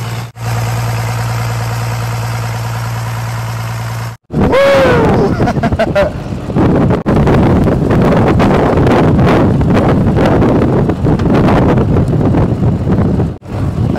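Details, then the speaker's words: 1993 Dodge Cummins 12-valve turbo diesel, zero compression on cylinder 6: rough lumpy beat about three pulses a second, running on five of six cylinders; finding: dead cylinder. "we knew that it'll run on five out of the six and she did"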